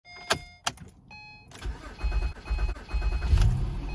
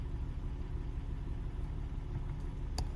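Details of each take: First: 2010-2013 Acura ZDX after sitting parked: starter cranks about 3-4 seconds longer than normal before firing; owner suspects low fuel pressure or fuel pump relay (intermittent pump priming), with MAF sensor as another possible cause. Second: 2010–2013 Acura ZDX after fuel pump relay replacement for long 3–4 second cranking before start when parked; first start after battery reconnect starts like normal, quiet steady low rumble with even rhythm, no knocks or misses, smooth normal idle.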